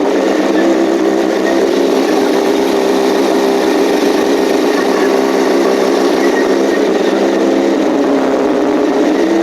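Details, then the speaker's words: 2007 Yamaha R1 after engine rebuild, first start: steady, even buzz with no ticks or knocks, idle slightly rough, blamed on fuel trims while the ECM recalibrates to new rings; normal idle. "Okay. Well, no ticking, no crazy noise. The idle was a bit rough, but I'm going to blame that on fuel trims right now."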